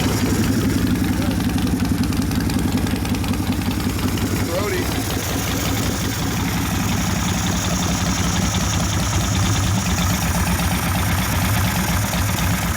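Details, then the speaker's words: 1972 Harley XL Ironhead Sportster, rebuilt after wasted pistons and pinion bushing, cold: slow, loping V-twin idle that sags and stumbles; idle mixture lean, carb wants more fuel, being adjusted with a screwdriver. "Crank it up to idling. A little bit more, a little bit, wants more fuel. It's cold out, so we're gonna give it a little bit more right over here."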